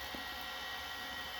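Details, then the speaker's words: Late-1980s Samsung VT7253CC VCR with a faint, continuous high-pitched whir from the spinning video head drum. Noisy head bearings that became noisy only once warmed up. "so you can hear the bearings in the head are noisy and they only got noisy once it warmed up so you can definitely tell it's the bearings it's definitely coming from the video head"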